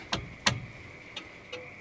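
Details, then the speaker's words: 1964 International service truck, cab: sharp, dry flasher clicks about twice a second; turn signal working on one side, the other side silent. "oo I hear it all right oh yeah we got a blinker let's go try the other side"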